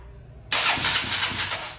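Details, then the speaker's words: KTM Duke 200 that cranks but won't start and only runs when bump-started, with compression, leak-down, spark and injector pulse all good: sluggish starter whirr at about four compression beats a second, never catching; weak starter motor. "Da arranque, pero no enciende la moto. Solamente enciende es cuando la tiran rodada."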